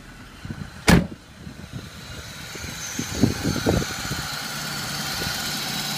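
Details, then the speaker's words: 1995 VW T4 van cold start: clunk, brief cranking, catches quickly and settles into smooth steady idle, no knocks, no smoke; normal. "no weird noises doesn't blow smoke you hear the car just rev up nicely"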